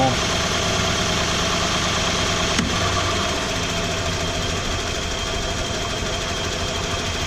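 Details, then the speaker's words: 1995 Ford F150 4x4 with an unexplained vibration, running with fan, fan clutch and other accessories removed, at about 1,400–1,800 rpm: rough idle with an uneven, dull knocking, roughly three a second; owner suspects flexplate, compression check planned, cause unconfirmed. "I'm just not sure what is going on maybe the camera picks up something that I can't hear out here and I'll get this turn back off here I'm just not sure what it is"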